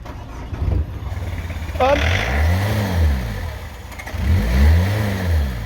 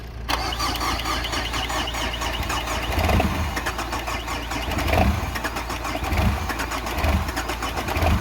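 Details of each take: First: Old Peugeot diesel being hot-wired past its immobiliser, with a suspect faulty fuel pump and power fed to the pump: catches and runs unevenly, revs surging for a few seconds, then stalls. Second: Peugeot diesel with an immobiliser and faulty fuel pump, run by hot-wiring: cranks briefly, catches and settles into a steady idle with occasional soft thumps, the engine running evenly.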